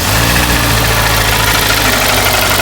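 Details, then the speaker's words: Cold Kia petrol engine at idle with a fast, hollow knock over the running sound: piston slap from scored cylinders, aluminium from the piston transferred onto the bore wall, half of one cylinder stripped; engine needs a rebuild. "запуск стучит конкретно стучит все нормально двигатель на капиталку доехать только до сервиса номер"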